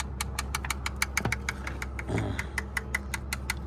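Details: Chevy HHR bought at auction with a bad rod knock, idling after mayonnaise and hard soda are added to the oil as home remedies. A sharp, steady metallic knock at about six a second over a low idle rumble: a worn rod bearing.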